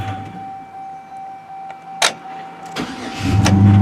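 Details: 2004 Chevrolet Silverado 1500 4.3 with a parasitic draw that drains the battery overnight, which the dealer could not fix: a pause, a couple of clicks, then a quick crank and the engine catches and settles; a normal start after about 25 minutes of charging.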